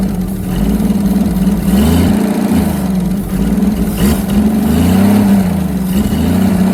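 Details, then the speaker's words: Holden FC grey six-cylinder, first start in 50 years, points and plugs untouched: fires and keeps running at an even, steady idle with a low drone and slight unevenness; owner briefly suspected a miss, then it ran on all six cylinders. "that's full six cylinders AI yeah it sounds good bit yeah will it is is gone"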